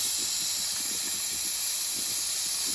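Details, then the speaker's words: Nuwave 13-quart electric pressure canner after canning bacon ends, unplugged while still venting: continuous high, airy hiss holding constant; normal end-of-cycle steam pressure release. "I might should have waited till the steam went out, but it says when you're finished pressuring to unplug, so I did. Can y'all hear it?"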